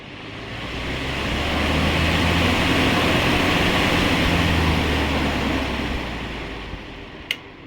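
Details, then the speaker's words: Air cooler fan after rewiring and a speed regulator fix: steady airy rush that swells and eases as the regulator changes speed, smooth with no rubbing or rattles; fan running normally. "ये देखिए इसकी हवा कितनी तेज़ है, ये आप देख सकते हैं। स्पीड देखिए दोस्तों कितनी है।"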